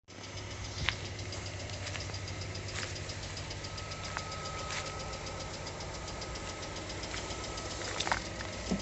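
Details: New 2020 Lada Largus, 3,300 km: steady light ticking knock through idle, evenly spaced over the engine hum, comes and goes cold or hot; cause was a factory-defective cylinder head, replaced under warranty.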